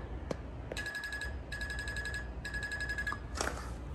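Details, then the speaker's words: 2022 Icebear Maddog Gen V scooter after converting from the vacuum fuel pump to an electric fuel pump kit: sharp high chirping bursts about every 0.8 seconds when switched on, the normal sound of the pump priming. "rolling wrench they got this dialed in to where they think it's pretty good and then on the videos it makes like this chirping noise when you turn it on"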